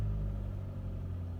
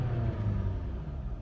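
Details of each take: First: 2007 Dodge Caliber 2.0L, 340,000 km, cold weather, low battery, towed in as no-start with very low compression; after repeated cranking with throttle it starts and settles into a steady even idle on its own, no stumble or misfire. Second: 2007 Dodge Caliber 2.0L, 340,000 km, very low compression, towed in as no-start, cold weather, low battery: after a flooded start the engine catches at full throttle and runs rough, settling as excess fuel burns off.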